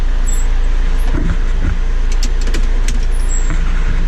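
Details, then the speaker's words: John Deere 6410 tractor after fixing the forward/reverse lever switch that beeped in forward or reverse: steady diesel rumble with a few handling knocks and no warning beep or buzz; alarm now quiet. "We'll see if she runs. No more buzzing. You can go forward,"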